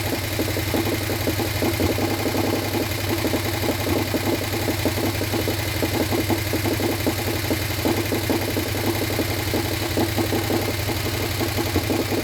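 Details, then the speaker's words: Harley Sportster 1200 engine, long left outdoors full of water and swapped in without a rebuild, at loaded idle with a fast, light top-end valvetrain tick over the V-twin rumble; expected to clean up. "I think it sounds good. Even with the the tick, it was like it hit. I think it'll clean up."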